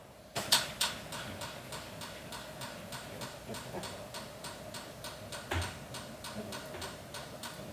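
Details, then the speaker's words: NSG 438 ESD test gun doing ISO 10605 contact discharge into the coupling plane, 2 kilohm tip resistance, press-to-start mode: crisp evenly spaced ticks two or three a second; gun discharging normally, automotive device not affected. "Yeah, you can probably you can't hear it, but it is discharging. So as you can see, the device actually not affected."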